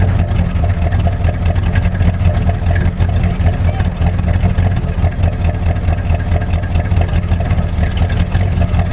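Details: 1985 Monte Carlo SS V8, cold start, sat 14 years, now daily driver, broken electric choke, burns oil (valve stem seals): steady loud idle with low repetitive knock underneath; owner suspects rod knock, not sure.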